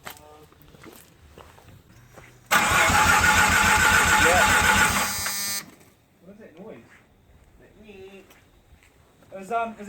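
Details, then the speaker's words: Mazda FD RX-7 with bridgeport rotary on its first start attempt: about three seconds of steady even cranking, roughly four beats a second, never fires; fuel pump wiring and MAP sensor hose being checked, cause unconfirmed. "so I've just tried to start it and nothing's happened"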